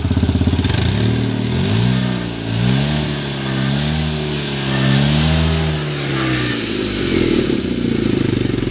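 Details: Tata Nano petrol engine after fixing its misfire: revs up and down smoothly with no misses or stumbles.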